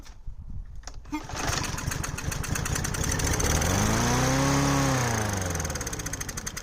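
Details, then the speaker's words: Troy-Bilt TB110 lawn mower, 140cc Briggs & Stratton: pull-start catches, picks up briefly, then fades and dies within seconds, then wouldn't restart; dirty carburetor suspected, to be cleaned; starts then stalls. "and then it died. Okay, so it would start, but then it dies right away."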